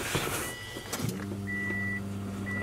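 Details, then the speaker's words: 2006 Subaru WRX with fuel issues, just fitted with a new AEM fuel pump, on a cold day: with key cycling, a steady low even hum with no surging or rattling as the new pump primes normally after install. "Oh, listen to that pump right there. We did our job correctly, so now we can go ahead and finish up putting the rest of the interior in this car."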